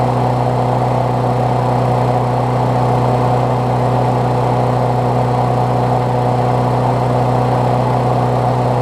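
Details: Briggs Classic single-cylinder on a Bolens push mower deck after engine swap, fresh gas and 16 oz oil, temporary throttle: steady, even buzz with no surging or hunting; runs healthy.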